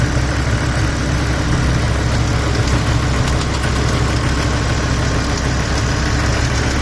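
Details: 2007 BMW M6 S85 V10, manual, sat for months on old oil: at warm idle, a faint light ticking over a deep exhaust note. Oil change didn't cure it; barely heard cold, very apparent warm.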